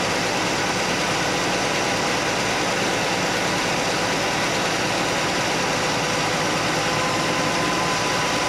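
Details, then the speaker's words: Chevy Nova straight-six after repair: smooth, even idle with steady hum and no tapping; the single rocker arm was readjusted, backed off from 3/4 turn past quiet because that ran rough, now normal idle. "All right, guys, good news. It's not clanky anymore. It was just the one rocker."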